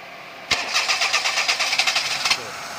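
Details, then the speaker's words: Perodua Kenari that was hard to start: with the coolant temperature sensor unplugged, a short crank catches and the engine fires with quick, sharp pulses into a high idle. The radiator fan runs continuously and the check engine light may come on. The unplugged sensor is shown as a cause of no-start. "Alhamdulillah jin-jin boleh hidup in Jin boleh hidup tapi staining nih timing dia akan tinggi timing tuh Agan tinggi sepatu cek Lettu menyala atau tidak mengapa tidak mengapa yang penting izin boleh hidup"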